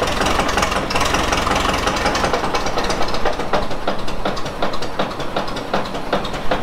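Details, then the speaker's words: Old Ford Model T engine, hand-cranked and running on the magneto, at idle; steady deep knock under a loping beat, pretty good rod knock, pan to be pulled to find the cylinder: rod knock. "it's got a pretty good little rod knock, so we're gonna have to pull the pan down."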